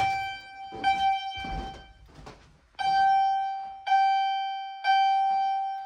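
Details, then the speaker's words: Fire-Lite MRP-2001 panel test: chime set to Temporal pattern sounds three clear bell-like strikes about a second apart, each ringing and fading, slower and odd-sounding; normal temporal evacuation signal, likened to a Dodge chime. "All right, next up, we'll go ahead and do Temporal. It's really interesting. Slows down. So it just sounds kind of weird, but yeah."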